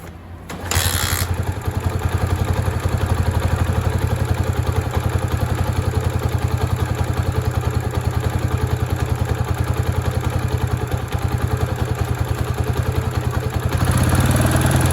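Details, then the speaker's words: Honda Sonic single-cylinder after rebuilt top end with new cylinder, piston and rings, valves already adjusted, cam chain not slack: hard tapping clatter at idle that grows much louder on revving; piston striking cylinder head suspected. "วันนี้ช่างใจจะพาเพื่อนๆมาชมเสียงลูกสูบปะทะกันกับฝาสูบของHondaSonicหลังจากที่เราทำการการประกอบชุดบนนะฮะเปลี่ยนเสื้อสูบเปลี่ยนลูกสูบแหวน"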